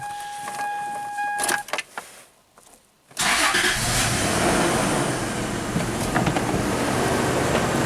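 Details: 2004 Toyota Tacoma V6, 260k miles, with an intermittent P2111 limp-home throttle code, after air intake cleaning: starter cranks briefly, engine catches at once and settles into a steady, even idle without stumbling or surging; normal start and idle.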